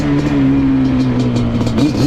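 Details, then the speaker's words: Yamaha Banshee two-stroke quad: raspy revving with a loose, tinny rattle on the revs; motor mount bolts lost/backed out and worn rubber mounts blown out after a crash, letting the motor shake. "They're just blown out. There's rubber inside of there, and that rubber can get like worn out, and then it'll just like blow itself out."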